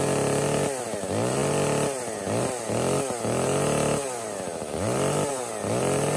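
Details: Echo CS-305 chainsaw after replacing a cracked purge pump primer bulb and a clogged air filter: revs up and drops back to idle repeatedly, crisp and clean with no bogging or stalling; fixed and running healthy.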